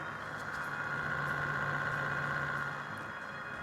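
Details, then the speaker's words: 12V quad 120mm brushless fan for a Honda Freed+ window vent, on a mobile battery: steady hum with a wobbling, warbling whir when the speed controller is turned down, fine at full speed. "これまずスピードコントローラーを回すと少しゆっくりになるんだけど変なね、うじうじうじうじうって音がしてもうなんか話にならないです。一応弱くはなる。"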